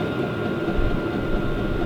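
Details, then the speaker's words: New Vevor diesel heater on maximum, about 5 minutes running, inside temperature about 11 °C: steady blower rush with a thin constant whistle and faint fuel-pump ticking underneath; running evenly at full output. "Now that is on maximum. When I decrease the heat, that ticking sound from the fuel pump is going to decrease as well."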